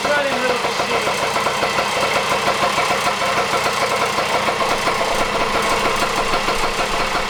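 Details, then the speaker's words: 1977 Kawasaki KD100M mini dirt bike, 100cc two-stroke rotary-valve, 5-speed, barn find unstarted for years; now running: crisp, fast buzz settling into an even, steady idle with no misses or knocks, healthy. "So there is our 1977 KD100 running good."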